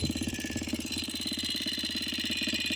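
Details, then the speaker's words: 2022 DM 250X motorcycle, warmed up after running a while, with a steady fast ticking of about ten clicks a second over the single-cylinder idle; it does not fade even though the lifters should have filled. "prende, se mantiene, pero le sigue el ruido acá. Y ya tiene rato prendida."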